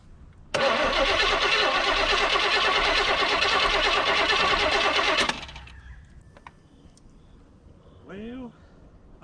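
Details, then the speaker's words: 1972 Chevy C10 crate 350 V8 that had sat for 8+ years, rear tires off the ground, gas poured in. Even cranking at about three turns a second for five seconds with no firing; no spark, the ignition coil was found bad and replaced. "all right had to make a quick trip to O'Reilly's uh coal was bad on that one"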